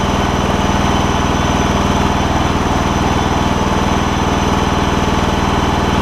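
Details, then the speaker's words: John Deere LX172 mower, Kawasaki FC420V engine, reassembled after replacing spark plug, ignition coil and igniter to cure loud backfire when starting: even, regular putter about four beats a second, no pops or stumbles; normal idle, still starting and running good. "so what I have I've put it all back together still starting and running good I suppose let me see if I can get it back going again"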